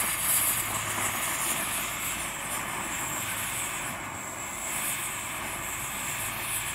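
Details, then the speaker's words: Dual-fuel camping stove burning diesel in breeze after preheating: hissing vapour from jet then steady even roar without sputtering as flame clears and burns cleaner; normal. "you see the flame starting to clear itself up a bit now starting to burn a lot cleaner"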